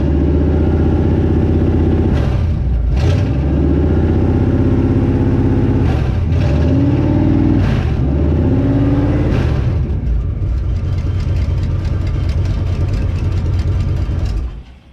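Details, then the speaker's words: 1952 Ford rat rod first run outside with fuel poured in the carb, exhaust without stacks: loud open rumble with five clean throttle blips and crisp return to idle before shutdown; engine runs healthy. "well that's impressive thing sounds great and double check the oil level and I'll get some transmission fluid out here but this thing sounds ridiculous"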